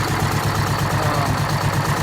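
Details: 1969 International 400 dump truck, Detroit 8V-71 V8 diesel, after cracked bell housing chained shut and air starter used, fuel stabilizer and cetane boost added: even clatter, about seven firm beats a second, no misses or knocks; normal idle.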